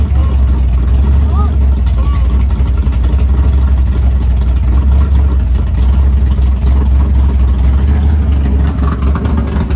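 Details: Freshly built 500ci big-block Mopar in a 1969 Barracuda, first start in the car: idle at about 1100 rpm, loud deep choppy loping cam rhythm, steady and even; normal healthy idle.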